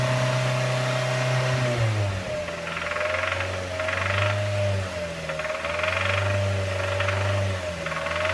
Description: Recently my 2007 MX-5 Miata started making a rattling noise. I am confused as to what the issue is, but I believe it may be "rod knock".